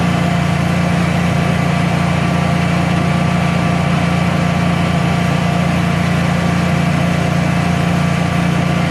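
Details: Generac Guardian 16kW standby generator, refurbished after exploded battery, running on gas under close to 6,000 W heater load: steady even drone with constant low hum, no hunting or stumbling; didn't even hesitate, pulling load cleanly.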